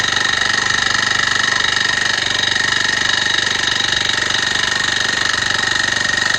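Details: Honda tiller (kanriki) running again after a seizure, valve tappet clearance reduced from 0.3 to 0.2 mm: steady fast beat about four per second with a dry scraping rasp, unchanged; owner suspects a stuck piston or piston rings; scraping noise.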